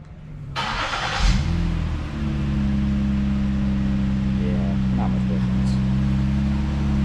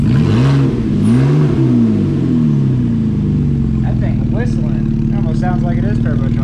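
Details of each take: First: 2013 Ford Flex 3.5L non-EcoBoost V6 after swapping the mid-pipe muffler for a Magnaflow unit, rear mufflers still stock: starts and settles to a steady low drone with a rev blip; exhaust stays muted, little difference; healthy. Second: 2013 Ford Flex 3.5L non-turbo V6 with cold air intake, mid-pipe muffler cut out for a Magnaflow, catalytic converters and rear mufflers stock: deep throaty exhaust rising and falling with revs, faint intake whistle on top.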